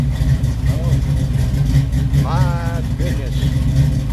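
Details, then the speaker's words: 1969 Camaro SS, maybe still a 350, described as juiced up, freshly finished: loud, choppy V8 idle with an uneven lumpy lope in the exhaust, suggesting a big aftermarket cam. "I'd say it has a cam in it, wouldn't you, folks? I believe it has a cam."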